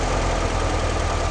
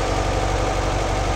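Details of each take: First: 1958 Porsche 356A T2 with Zenith carburetors during a tune-up, idle lowered from about 1,400 to about 1,000 rpm while synchronizing with a flow meter. Steady, even idle with no misses or knocks; it sounds normal. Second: 1958 Porsche 356A T2 with Zenith carburetors during tune-up, carbs balanced; steady, even but quick idle at almost 1,400 rpm, too high versus target of about 800-900.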